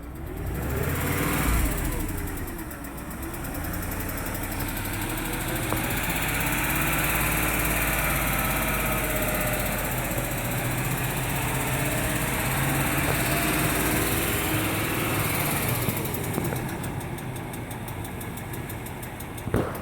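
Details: 2003 Range Rover HSE, 4.4L BMW M62TUB44 V8, idling with a light regular tick about three or four a second; owner thinks oil slightly low; sound later went away on its own — engine ticking at idle.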